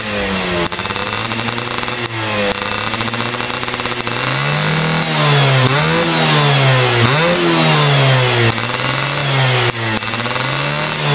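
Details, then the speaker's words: Yamaha F1ZR two-stroke with BRT CDI ignition, setting considered ideal, after a holed piston: revs climbing and dropping repeatedly, levelling cleanly at top; high rpm held back, sounds well tuned. "Nah kayak gitu guys, jadi di putaran atasnya itu dia udah ketahan gitu ya, jadi enggak yang videoin juga."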